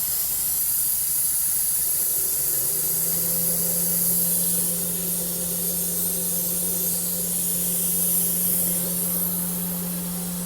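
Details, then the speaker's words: 45-year-old Vauxhall Royale coupé, 2.8 L, rebuilt engine on first test drive after cam run-in: loud steady steam-like hiss over even engine hum, coolant blowing from top hose. Owner unsure: overheating, combustion-gas pressurizing, or the clamp. "Yeah, I think it's pressurizing. [Music] [Music] blowing out that top hose. But again, is it because it's hot or is it is it pressurized or is it I don't bloody know."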